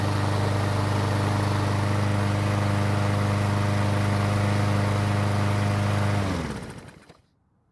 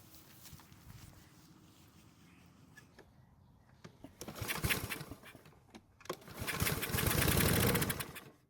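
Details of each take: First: Troy-Bilt mower that wouldn't start after winter storage, now repaired (clogged carburetor jet cleaned, overfilled oil corrected, original fuel reused): smooth, even drone at steady speed for six seconds, then clean wind-down; healthy running. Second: Troy-Bilt mower that won't start after several months of winter storage; spark confirmed, gas poured into carburetor throat for test start. Two short bursts of firing die within a second or two, showing enough compression to run.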